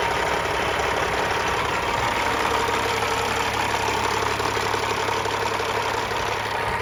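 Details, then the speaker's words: Warm 1999 Freightliner FLD120 with a rebuilt CAT 3406E (head, injectors, turbo, pistons, liners) and 13-speed, idling after about half an hour of running: smooth, even diesel idle with a steady hum and light tick, no knocks or misses. "so it's been running for about a half of an hour I'm going to get it started up we'll have a listen nice sound of a kitty cat"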